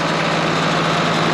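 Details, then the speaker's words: 1976 John Deere 4430 tractor diesel running again after sitting 22 years: deep, steady rumble holding an even idle with no knocks or misses; sounds healthy; normal idle. "that's what we're working with it sounds healthy"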